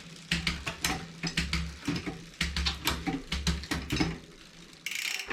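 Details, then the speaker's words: 2020 Specialized Fuse 27.5+ with a Shimano Deore Shadow Plus 10-speed rear derailleur, after adjusting the barrel adjuster for indexing: crisp single clicks across each cog with freewheel ticking and no grinding. The derailleur now shifts smoothly. "Now it's shifted smooth. Now that we've shifted all the way up to everything but the last gear, let's run back through to make sure everything sounds right."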